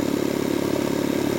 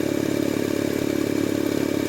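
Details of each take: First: Jenny air compressor with malfunctioning pilot valve switched back to stop-start operation as a stopgap until repair, building pressure toward 125: fast, even pumping chatter with no knocks or stalls, operating normally under load. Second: Jenny air compressor trying to unload the head, but debris trapped in the pilot valve prevents unloading: steady pumping chug about three beats a second breaking into rapid machine-gun chatter, short cycling.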